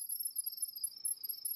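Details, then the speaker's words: Imou Ranger 2 camera setup over a 2.4 GHz Wi-Fi network: the phone emits a steady, piercing high-pitched warble for under two seconds, then silence, sending network details to the camera; normal sound-wave pairing chirp. "you will now hear your smart device make a loud chirping noise that sounds like"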